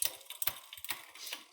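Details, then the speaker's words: Light, uneven chain ticking and grinding from a rear derailleur deliberately put out of adjustment, with the upper jockey wheel contacting; fixed by micro-adjusting. "ng and grinding noise and if you look down at your rear derailer you can see that the upper jockey wheel is actually contacting"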